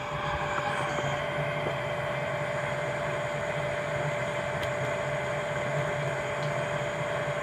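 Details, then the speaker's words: Centroid SC300P scientific olfactometer while flows through sniffing ports A and B are matched with a flow meter and needle valve: constant, even hiss of air with a faint steady tone, no surging; air flowing normally out of the ports. "so you can hear the hissing noise that indicates the air is flowing out of the snipping ports"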